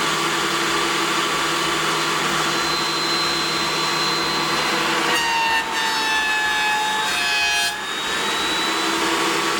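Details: Planer cutting during a comparison between a DeWalt 735 fitted with a spiral head and a Craftex CX13HC (which machine is heard is unclear). Steady high hiss with even pitch and no thumping or pitch drop under load: running smoothly.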